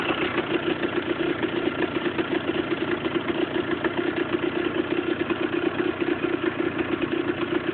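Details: Husqvarna SM 125 two-stroke at idle: a steady, rapid metallic rattle rides on every firing pulse. Loose nut on the crankshaft.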